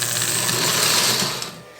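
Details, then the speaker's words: eBay ALCO model locomotive after cleaning and lubrication, on the test track without shell: busy high-pitched mechanical buzz, fading as it slows; the E-unit is loud and likely needs more service. "man that eunit is loud that's probably going to need a little more service eventually"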